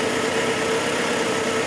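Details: 1978 Mitsubishi Colt Sapporo RWD coupe, first start after sitting since 1993, running off choke without fuel or air filter: even, steady idle hum, no stumble or misfire, no vibration; normal smooth idle.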